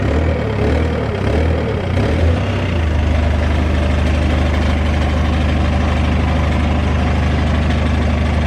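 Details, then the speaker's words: BMW E46 petrol, 200,000 miles, idling while warming up after repair: rough, puffing exhaust note from an exhaust leak; owner thinks the flexi on the downpipe has gone. "I know we have an exhaust leak. I think the flexi has probably gone on the downpipe. If I open the door, you'll probably be able to hear it."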